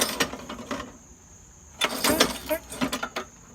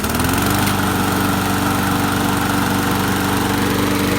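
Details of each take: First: Craftsman 21-inch mower with a Briggs & Stratton 550 series engine, pulled over by the cord: bursts of loose metallic clatter come from under the deck instead of firing. The blade is loose and freewheeling on the crankshaft and needs tightening. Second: Craftsman 21-inch mower, Briggs & Stratton 550 series, salvaged from the trash. With a blade now fitted acting as a flywheel, it runs with a fast, smooth, high-revving single-cylinder buzz and no stumbling; still a bit smoky from short run time.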